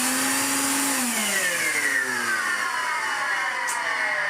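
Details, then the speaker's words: 1970s Hoover 427 vacuum cleaner after refurbishment, Hoover Constellation motor mounted sideways: motor whirs with a coarse, rough edge as pitch sinks while winding down; owner suspects decades of running on its side, cause unclear. "Yeah, it's still making the noise. It must, decades of being run on its side did that."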